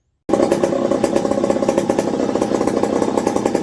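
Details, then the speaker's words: McCulloch 55 gear-drive chainsaw revived after 30+ years, first cuts, cool windy day, with a hard chain and a 3D-printed carbon-fiber nylon tensioner: steady, crisp two-stroke buzz, even rapid firing, no misses, slightly loaded by the stiff chain; normal running. "don't know if you can hear me, but it sounds pretty happy. Got a slight drag of the load with this hard chain on it."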